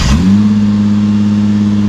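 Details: 2018 Nissan GT-R, about 1000hp, first start after injector change and priming fuel rail: catches, flares up and settles into a smooth, even, strong run, then revs cleanly with no misses or knocks; healthy.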